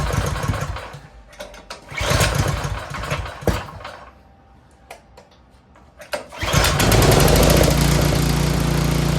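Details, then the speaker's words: Troy-Bilt 24-inch snowblower after tune-up (timing checked, clean carburetor): after a few pulls it fires and settles into a steady even beat, good low and high idle. Normal running. "sounds good Run's good and purs like a kitten good low idle good high idle"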